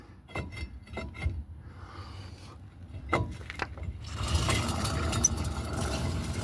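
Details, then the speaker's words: 2002 Chevy Silverado front hub spun by hand with the caliper removed: rough continuous gritty grinding from a worn wheel bearing hub assembly, being replaced. "that's not supposed to sound like that. So that's what I'm replacing."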